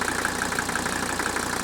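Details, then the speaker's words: 1985 Mercedes 300TD wagon, used replacement engine, just started after a short glow: quick, even clatter at idle, steady rhythm, no misses, similar to the 300SD; normal diesel idle rattle. "now this one sounds very similar to the 300 sd you can hear that distinct rattle of the engine that idle"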